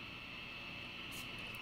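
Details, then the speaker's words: 1947 radio receiver, essentially untouched since the late 1940s, first powered at direct line voltage with no antenna attached: constant hiss, thin high steady whine and faint hum, picking up interference noise with no station. "wow okay so what i'm gonna do here is this is probably just picking up noise the way this is here because there's some noise in here"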